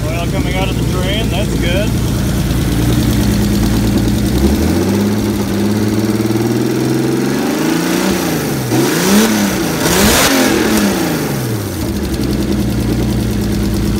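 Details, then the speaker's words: Turbo S52-swapped 1990 BMW 318i E30 touring, first start with a partial exhaust after catch can and turbo hardware install: catches and settles to a steady idle, a few smooth revs, no knocks or rattles; sounds good, normal start and idle. "good sounds good"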